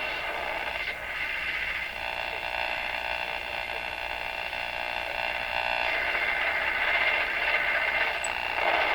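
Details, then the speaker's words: Rogers 11RA651 shortwave tube radio while tuning: a steady hiss with a rough buzzing pulse about four times a second over faint station audio. Interference is heavy, but weak stations are now audible where earlier there was only interference. "Noises. Interference. Okay, so what's kind of happening there is we're able to pick up some pretty weak signals in the face of all this interference."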